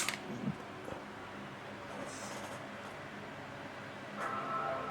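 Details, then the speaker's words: MacBook Pro A1502 reported as not charging, plugged into power: the charger light shows orange, and one startup chime rings out; it powers up normally, drawing about 880 mA. On battery alone it will not start, and the battery seems dead. "as you can hear the Chim and they said that it's not charging so it fully works"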